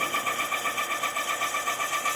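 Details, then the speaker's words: Honda CB400 cylinder rebore to 0.75 oversize (71.25 mm) after sand ingestion; quick, even ticking hum about seven pulses a second, no chatter or squeal, leaving only cast-iron dust: normal, clean boring bar cut. "Não vai dar para enxergar nada enquanto ela não terminar o serviço. Barulhinho tá indo bem, né?"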